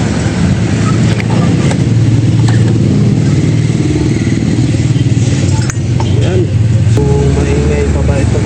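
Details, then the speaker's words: Honda Click scooter, rear wheel spun by hand: rough, uneven rumble with scattered knocks under the drone from the transmission; worn final drive bearings, pilot bearing and inner ball bearing found damaged. "Ayan napakaingayung konting ingay dito sa transmission normal lang yanung nasira pilot bearing at saka yung bearing sa loob yung ball bearing."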